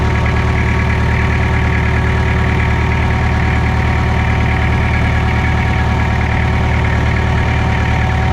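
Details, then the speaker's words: Mitsubishi BD2F dozer diesel revived after two or three years unused, running on its own: deep, even chug about three beats a second, steady with no knocks or misses; normal healthy idle. "just like that folks she's humming along it's two or 3 years it's R it on its own power again sounds good too"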